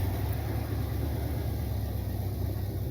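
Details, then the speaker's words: Corvette V8 after timing adjustment: deep idle with slightly uneven, choppy rumble; owner suspects too much timing or something loose, unconfirmed; rough idle. "That sounds like too much timing. Should sound a little rough or something's loose."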